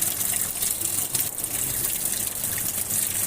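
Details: Top-loading washing machine after inlet filter fix for no water coming in: strong steady gush of water into the tub, no sputter or hiss, filling normally.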